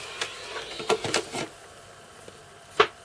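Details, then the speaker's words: Panasonic JU-253 Amiga floppy drive under repair after a capacitor swap and heating near a transistor; scattered clicks and light thuds as the head reseeks, then it gives up booting; capacitors suspected, not confirmed. "It tried to It tried to boot and then gave up. But what's that result of it just been warming up? I don't know. It could be cap. You can hear it reseeking, right?"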